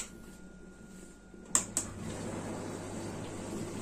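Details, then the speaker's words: Beko dishwasher after replacing the circulation motor that was tripping the fuse, wash cycle: relay clicks, then an even swish of water and pump hum, no grinding or knocking; runs normally. "Oui, il y a une consommation électrique d'environ 1790 watts, le chauffage est allumé en ce moment, il n'y a pas de problème non plus."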